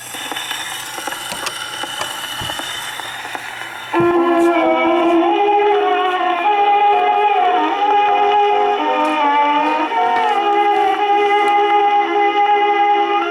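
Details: 1923 Victor Victrola VV-VIII spring motor after cleaning out overly thick grease from the spring barrel, playing with No4 HMV reproducer: steady, even pitch with no wow, thumps or bumps; normal playback.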